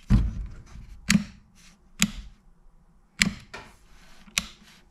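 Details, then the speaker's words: Henry Hoover vacuum power switch after repair, fur on contact cleaned and switch reassembled: crisp firm clicks about once a second with no sponginess; switch working properly. "together well the switch sounds good so there's no no sponginess in there so we must have put it back together well"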